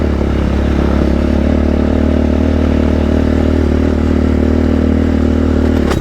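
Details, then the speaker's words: Raptor quad riding trails at AOAA: engine pulling steadily with a rough, irregular metallic clatter throughout, drive chain about to let go; chain then popped and sheared teeth off both sprockets, caused by a blown rear carrier. "It was clanking the whole way. It was clanking the whole time. I wasn't sure what it was."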